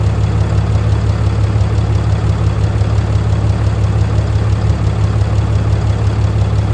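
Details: Fourth-gen 6.7L diesel truck after DIY valve adjustment: deep, steady diesel rumble with even, regular firing and no tapping or misses; engine idles smoothly and healthy.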